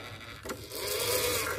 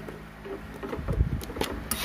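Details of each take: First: Oki 3000 servo voltage stabilizer, owner reported MCB tripping, carbon brush pressing too hard with gap too wide: small motor whirs with climbing, shifting tone, never settling; servo hunting as carbon brush won't stay stable. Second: Oki 3000 voltage stabilizer (stavol) after replacing TIP41/42, RM324 IC and resistor: short burst of servo motor whirring and light clicks at plug-in, carbon brush moves then settles quietly, output 220 V AC; normal servo operation.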